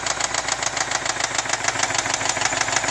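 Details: 2010 BMW X5 4.8i E70, N62B48 V8, 64k miles, at idle: sharp fairly even ticking about three per second over the idle; engine knock, source unknown.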